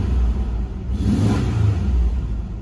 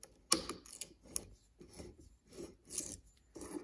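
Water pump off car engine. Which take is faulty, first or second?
second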